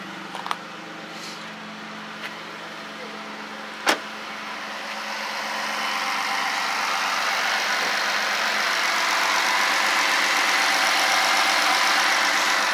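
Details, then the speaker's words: V6 Charger with a homemade custom cold air intake, after letting the engine calm down. Steady, even idle with a smooth hum and no hiss or whistle, though louder with the tube fitted. Intake sealed, normal idle. "sounds good no hissing all right i think we got success"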